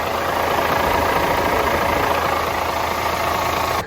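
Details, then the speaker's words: DAF CF85 Euro 6 truck diesel idling after inlet camshaft and rocker arm replacement. A constant airy hiss over the idle stops at shutdown. It was traced to a boost leak: a split O-ring and split gasket on the intercooler-to-turbo pipe, to be replaced. "Just this sort of washing of air leak we've got, we need to find out. There's quite a bit of, sounds more like this direction down here, but I'll do another video on that."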